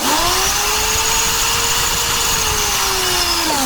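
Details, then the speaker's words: Draper pressure washer motor, tested by releasing the pressure micro switch: kicks in instantly, loud steady hum and whine rising to speed and holding evenly; motor and switch good. "Okay, sorry about the noise. It's extremely noisy. So, push this in and out. So, we know the motor's good."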